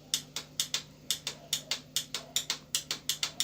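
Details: Benelli TNT 25 motorcycle, 2018–2019, about 18,943 km, with the ignition on and the starter pressed: rapid sharp clicking, about four a second, and no cranking at all. The fault is the starter motor, not the starter relay.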